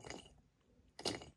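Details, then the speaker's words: Failed clutch actuator motor from a 2015+ Smart 453 (Getrag 6DCT250 transmission), failed at 93k miles with signs of water ingress, turned by hand; gritty rasping drag, magnet covered in debris. "doesn't sound very healthy and the magnet is covered in bits"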